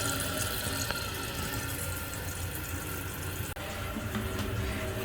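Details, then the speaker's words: Toilet tank refilling after replacing a slow-filling fill valve (old hose broken off) with a new universal adjustable one, water fully on: steady hiss and rush of water, no sputter, chatter or squeal, no leaks; refilling smoothly. "And while it's filling up, just ensure that you have no leaks. Looks good so far."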